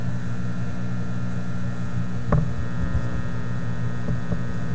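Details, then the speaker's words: Teletone 67-600E record player amplifier, powered on after a grounding point was moved as a fix attempt: a steady low hum with a faint buzz through one channel, unchanged, so the mains hum and buzz persist and the change failed. "here we go there Comes The Hum coming out of this"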